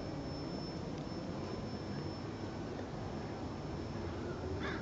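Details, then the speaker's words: 1968 Kaiser M35A2C truck with Solargizer solar battery charger, battery tray open: thin steady high-pitched whine over outdoor noise, suspected from the photovoltaic cells and rectifier; unconfirmed. "Hey, so I'm making a quick video here, and I'm hoping you can hear the high-pitched whine that appears to be from the photovoltaic cells and some sort of rectifier or whatever it is on the other end."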